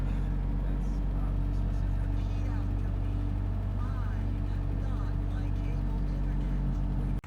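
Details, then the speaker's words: 1986 Porsche 944 Turbo, brought in for low oil pressure: steady, deep idle with an even beat, no knocking, tapping or hunting; five bar oil pressure. "as for tonight this car is running I'm going to take you inside and fire it up for you and that last we have five bar oil pressure"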